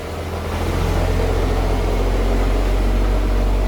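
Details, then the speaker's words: Triumph 2000 classic car with a suspected perished hose and a leaking heater core, just started on choke; smooth, steady low idle but no response to throttle, worse than before. Mixture or fuel problem suspected, possibly out of fuel. "I give it a bit of a throttle. So it's only running on it's not reacting to anything. So it's actually worse than what it was."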